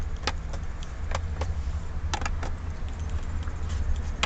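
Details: Datsun on-DO interior, cheap dashboard plastic creaking while driving with light finger pressure: sharp little creaks and clicks over steady low road rumble; owner says it doesn't creak in normal use.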